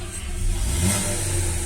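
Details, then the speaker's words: Chevrolet Onix/Prisma automatic, 75,000 km, knocks on gasoline; gasoline drained, 5 liters ethanol added without fuel reset: started, short smooth rev blip limited at standstill, steady deep note, no knock or misfire; running normally on ethanol. "Agora eu vou dar partida no álcool, ó. Ó. Aí ó, funcionando normalzinho, ó. Ó."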